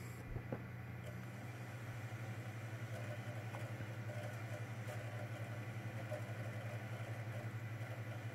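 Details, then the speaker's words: Xbox 360 disc drive after repair of a tray that was stuck closed and grinding discs, fixed by correcting a pin and laser misalignment; steady, even whir with a soft flutter and no scraping, reading a game. Normal disc spin after repair. "go fully working lovely jubbly absolutely ecstatic about this fully working"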